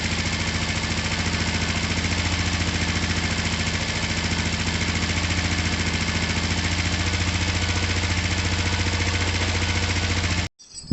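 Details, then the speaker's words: Finished, repaired twin motorcycle, oil just topped up, down pipes wiped so slightly smoky, started from the button: smooth, regular idle with steady firing beat, no misses or knocks; healthy. "but let me top up the oil and uh and fire it up and show you guys that it does idle and run perfectly"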